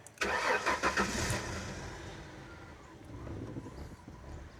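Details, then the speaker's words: 1996 Mercury Cougar XR7 with 109,000 miles, after sitting for years: quick crank and catch, then an uneven, slightly lumpy, wavering idle. It still idles rough, cause not yet known. "I mean, she still idles kind of rough."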